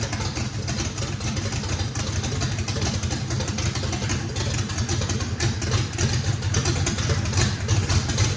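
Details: Fresh drag-race engine with a radical camshaft, first fire-up, deep uneven loping idle with a rough choppy low beat, steady. Heavy overlap and lobe separation likely needed lots of throttle, blade about six percent open; normal race-cam idle.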